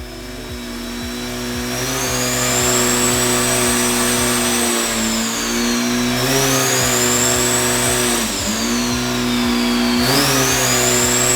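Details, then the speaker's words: Turbo engine after boost leak fixed, before break-in: revs sweep up and down smoothly with clean whine, no misses or hiss; engine runs healthy. "the engine is happy and it sounds like we are finally ready to fill this thing up with fuel and begin the break-in process."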